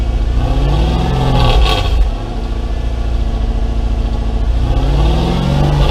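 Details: Mercedes W203 C230 Kompressor coupe with swapped Lexus 3UZ-FE V8, after new exhaust installed: deep V8 burble rising and falling with throttle blips, no drone or rasp; healthy, even exhaust.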